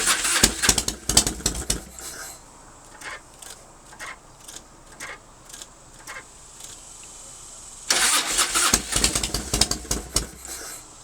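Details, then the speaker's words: 1997 Harley-Davidson Fatboy Evo, 70,000 miles, sat a month with petcock shut and carb bowl empty; Mikuni accelerator pump possibly gummed, maybe flooded: starter churns in two long bursts with ragged firing that never catches; hard start from fuel starvation. "See, the carburetor bowl is empty cuz I always shut my petcock valve off, you know, and let them run a while."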